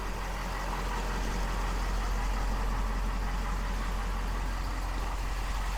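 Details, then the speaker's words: 2020 Ford F450 6.7 Powerstroke diesel just after an oil change with 12 quarts, running to build oil pressure; no leaks, steady low rumble with smooth fast clatter, no misses or knocks — normal diesel idle. "oil filter looks good no sign of any leaks engine sounds good letting it run letting it build up pressure and everything and fill up the voids"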